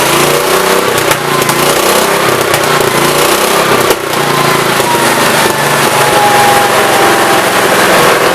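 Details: 1969 Gravely 432 single-cylinder engine running amazing after carb work: main jet was out too far, idle adjusted, carb cleaned; loud steady even drone, no more popping and banging on acceleration; leaned enough that it runs hot, burning oil off. Normal running.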